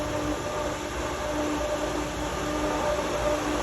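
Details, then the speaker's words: Pentair pool pump set to clean mode (high speed) via the IntelliChlor app after basket cleaning: a steady low electric hum at constant pitch over rushing water as the baskets refill. "I turned the pump up to clean mode, which is high speed. Water is going to start to fill back into these baskets."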